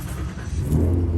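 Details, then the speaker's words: Mazda Miata no-start after fitting a used mass airflow sensor, battery jumped: rough uneven cranking with irregular thumps, pops and backfiring, never catches; owner suspects coil packs or spark plug wires, not confirmed. "Hear that? It just sounds horrible. It's backfiring. That tells me that maybe the coil packs are not working, or maybe even the spark plug wires."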